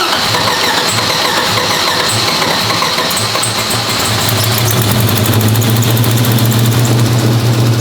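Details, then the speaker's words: G-body 6.0L LS V8 with RHS LS3 heads and race cam; coils, spark, fuel, air, grounds and tune already checked: big V8 lopes unevenly with missing, stumbling pulses, low compression from overlong pushrods holding valves open. "We've checked grounds, wiring, and you know, we even sent out the tune over to Alex at Pites and he cleaned up a few things, and we're really not sure why we're not getting a clean idle right now, so we're working on some things."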